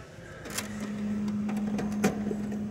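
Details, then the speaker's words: HP LaserJet Pro MFP 428FDW printer just powered on: steady low motor hum with scattered clicks and clacks as the mechanism initializes before the display shows initializing; normal printer warm-up. "can hear the printer, it's warming up. Listen. Alright. Alright. It's gonna boot up."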